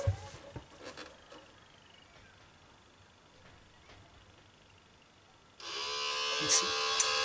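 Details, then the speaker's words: DVD player with disc stuck and tray not opening, at switch-on: after a quiet start a thin high motor whir and buzz stay steady, indicating the tray drive belt is damaged or cut and slipping. "noise shows that you can't let me clarify that the drive belt that is the player drive belt is damaged or his cut"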